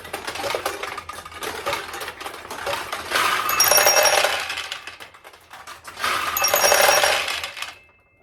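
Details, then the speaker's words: 1969 Nishijin Model A pachinko, restored single-shot conversion: lever pulled fully down and released, snap then bright metallic clatter in two bursts with pins and chimes; ball launches and plays normally. "and you're going to pull all the way down as far as it'll go, and then just let it roll off your thumb. And that's what launches a ball."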